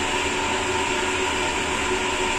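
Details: Sanyo/Shimizu jet pump after the outlet valve was partly closed to cure a snoring cavitation, at under 20 PSI: a steady motor hum with a constant whine and no rattling or gravelly hiss. It runs smoothly with no cavitation.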